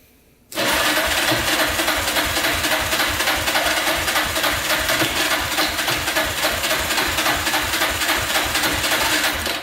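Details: Yamaha Raptor 660R single-cylinder during a compression test, throttle held open: turns over evenly but sluggishly, about three and a half beats a second, no firing. Slow cranking; compression reads about 93, low, though a decompression valve may affect the reading.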